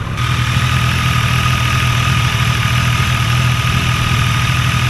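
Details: New Triumph Tiger Sport 800 triple at idle, about 800 miles: busy metallic rattle over the low hum, loud since new, from a faulty cam chain tensioner; the adjuster was later replaced.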